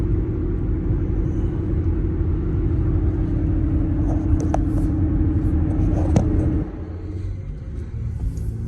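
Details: Before sound: Cooper Endurance Plus tires roaring after rotation, steady highway speed around 57 mph; constant low droning roar that follows road speed, not engine revs; owner suspects tire tread, maybe wheel bearings, before swap.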